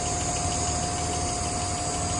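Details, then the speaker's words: 1959 Alvis TD21 Series 1, heard under the bonnet, hot: a smooth, even idle under a steady electric fan whir and a faint constant whine; a normal warm idle. "Here we are, running nicely. You can hear the electric fan whirring away."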